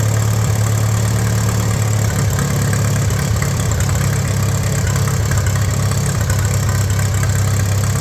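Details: 1941 Case SC tractor, run without coolant: deep steady low idle, even beat, no knocks, misses or hunting; carb still needs tuning, no fuel leaks, 30 lbs oil pressure, healthy idle.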